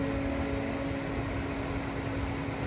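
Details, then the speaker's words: Gas pool heater burner just lit and firing, before an expected clattery, clanky sound and shutoff-restart cycle, after a thermostat adjustment: steady roar with constant low hum, no clatter yet; owner believes the hum is pressurized gas in the pipes. "I believe that's the pressurized gas going through the pipes. I hope you can hear it. It's firing now."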